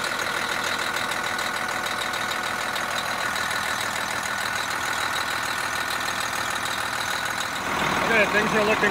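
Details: Bus diesel engine at first start after its water pump was replaced, coolant still bubbling through the system: a steady, even idle with a constant mid-pitched clatter and no knocks or squeals; normal idle.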